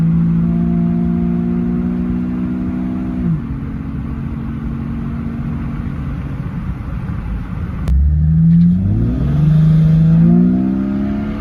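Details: 2004 Jeep Grand Cherokee 4.0 inline-six with THOR cold air intake, after a new Flowmaster muffler and tailpipe replaced the rusted-off tailpipe: deep, even idle drone with a clean rev blip rising and falling; normal exhaust note.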